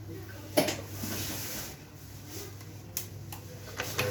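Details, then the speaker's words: HP LaserJet 1020/1022/1005 printer printing quietly after gear replacement: soft low feed whir with light paper clicks, no grinding or rattle from gears; gear noise problem solved. "कोई आवाज नहीं आया gear change करते problem solve हो गया"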